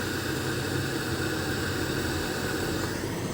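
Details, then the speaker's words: Sakura AV-735 amplifier with prior repair history (relay fix, then poor sound and hum) gives a continuous rain-like crackle on one channel with no input; removing a connector silences it, locating the fault in the front section; corrosion. "Dito talaga continuous. Ayan oh. Taos pag tinanggal natin onong epictor tahimik na. Ibig sabihin nandito sa sa harapan ng problema."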